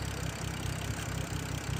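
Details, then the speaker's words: BMW F10 with cold air intake after cleaning intake of pollen and reseating an unlocked connector, following no-code rough idle: steady low idle with even pulse, no misses or surges; now seems to run smoothly. "But yeah, I think she alright. I think this just needed to be cleaned."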